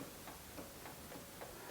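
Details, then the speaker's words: GMC motorhome steering: sharp, evenly spaced clicks about three a second as the linkage is rocked, from a loose, worn tie rod end; the other side's was worn too. "that's actually loose here uh that's that's worn out I check the other side and it was worn out too"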